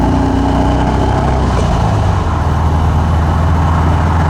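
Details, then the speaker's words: Driving with the mic clipped to the rear bumper by the muffler: a 1979 US-spec fuel-injected VW Super Beetle with a new Vintage Speed stainless steel exhaust replacing the rusted, leaking original. A deep, steady, smooth drone with no rasp, leaks or knocks. The exhaust note is normal. "There you have it. Little driving action for the vintage speed exhaust unit on this 1979 Super Beetle. There's the sound, there's the looks, there's the experience."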